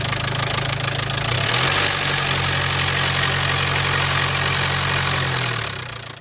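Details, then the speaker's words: High-mileage (120,000 miles) 2016 Range Rover Evoque 2.0 Ingenium diesel at idle: loud, harsh metallic rattle that came on suddenly, shaky uneven run, hard starting, near-stalling, engine light on; owner suspects timing chain. "Now, when I saw the car, it sounded to me like we do have a timing chain issue. Very rattly, very noisy, and like I said, completely just came out of nowhere."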